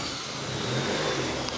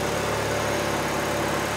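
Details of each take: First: Honda Civic D16 with new turbo kit, first start: crisp, even revving with steady exhaust note and no misfire or stumble; no leaks, running healthy. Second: Honda Civic D16 with a new turbo kit, first start on stock plugs: steady, slightly lumpy idle with a deep even rumble and no misses; it's running very rich, and fuel was then taken out of the tune.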